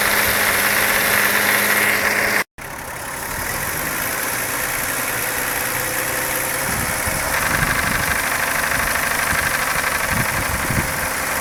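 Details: VW Jetta petrol engine from start and revving to 1500-1600 and 3000 rpm: loose, irregular rattle from worn OEM intake manifold runner control (shift) rod bushings, louder on acceleration and deceleration, fixed by replacing bushings or shift rod.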